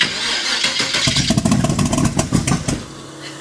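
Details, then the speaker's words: 1923 T-Bucket kit car, carbureted engine with no choke, cold shop at about 70°F: cranks and catches unevenly, firing in ragged bursts that fade without settling into idle; hard cold start. "Yeah, with no choke, and it's kind of cold in here. I keep it at 70. Cars with carburetors don't like starting."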